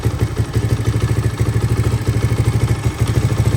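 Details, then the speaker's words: 1983 Honda XR200R after top-end rebuild, first start, still warming, in neutral: steady even single-cylinder thumping at settled idle, no cam chain slap or ticking; healthy. "but I can't hear anything, which is good. Idling smoothly. We're in neutral right now."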